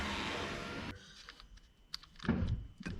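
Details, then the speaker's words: Power window on a flip car, earlier suspected switch or loose wire: short even regulator motor hum then stops with light clicks; window now works, won't go down. "it goes. Holy crap. Check it out. It's working."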